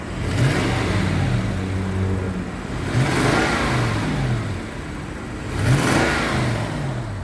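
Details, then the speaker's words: Toyota Sequoia engine given three quick revs, with a raspy, breathy edge swelling on each rev like an exhaust leak; owner suspects a cracked exhaust manifold, not confirmed. "It's a little raspy sound, and my research on these cars is that at a certain age, there tends to be a crack in the exhaust manifolds, and it sounds as if you've got an exhaust leak."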